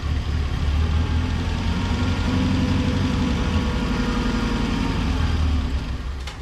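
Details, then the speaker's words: Revived 1983 Mazda B2000 four-cylinder idling with the fuel pickup disconnected until it runs out of fuel, a big vacuum leak noted: low, even idle at about three pulses a second, no misses or knocks, super smooth. Normal idle. "till she runs out of fuel guys the engine sounds super smooth we'll take it"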